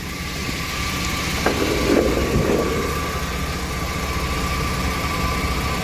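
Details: 2002 Chevy Astro van 4.3 after new fuel pump and fuel filter, fuel system primed three times: even, steady idle with constant low hum and no stumbles, ticks or misses; engine running healthy.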